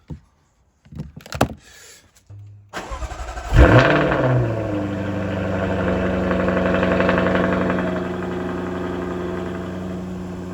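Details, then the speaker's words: Jaguar F-Type during a battery cranking test (battery 90% charged, tested good): brief crank, quick catch and loud rev flare settling to a smooth, even idle; tester confirms the battery is good at startup, normal start. "So that tells me everything is good on that battery during the cranking test. So everything at startup is as it should be."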